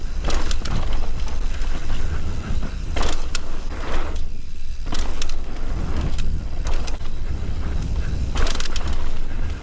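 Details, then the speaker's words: Fox 36 fork on a Norco Sight mountain bike, recorded while riding over heavy wind rumble: sharp, irregular, horrendous creaks and cracks from the fork, which developed the creak after a short time in use. "I was inspired to make this one after the Fox 36 I was running on my Nocco site started making a horrendous creaking and cracking sound."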